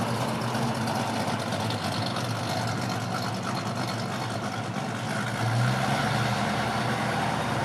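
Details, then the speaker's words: 1965 Ford Mustang coupe, rebuilt 289 V8 with mild performance cam, 4bbl, electronic ignition, dual exhaust: deep steady idle with slight cam lope and low exhaust rumble; healthy and even. "and so you like like might like to hear that cam a little bit yeah it sounds good doesn't it and it drives nice very strong engine"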